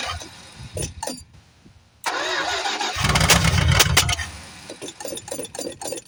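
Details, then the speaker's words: 1973 Plymouth Fury III V8, off the road 7 years, started cold on bad old gas: it cranks and catches, then runs with an irregular loping beat and sputters. Rough running, but not too bad given the stale fuel. "But it ain't running too bad for having bad gas in it and, you know, being cold and all that."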